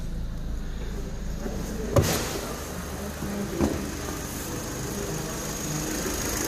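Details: Vauxhall Zafira 1.8 with CAN bus trouble and a no-crank no-start, now running after re-securing three screws; faint steady low idle hum with a couple of handling knocks, running evenly; faulty fuse still suspected.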